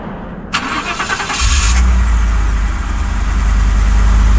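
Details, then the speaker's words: Used car on a dealer lot, already sold: about a second of harsh, fast, chattering cranking before the engine catches and settles to a low idle. Owner thinks something is sticking; the starter sounds like it is dragging. "going on or something's sticking. So, that's not good."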